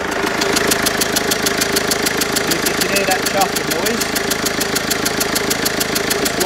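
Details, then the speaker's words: Mercedes Vito 2.1 CDI diesel, warm engine at idle: sharp rapid even chuffing about three per second, smell in cab; leaking rear injector copper seal blowing compression; all four injector seals being replaced. "it's one of the injector seals. It's the back one on this one, unfortunately."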